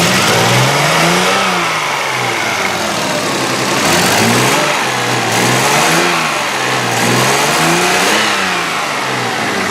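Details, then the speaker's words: Demolition derby car after a race, smelling like a two-stroke with smoke from the radiator area; revving up gives rough surges, ragged uneven note and stumbling beats, misses everywhere: engine misfire when revving. "This thing smells like a two-stroke underneath here. There's smoke coming out of like the radiator. You can hear misses everywhere. Let's hear this thing rev up."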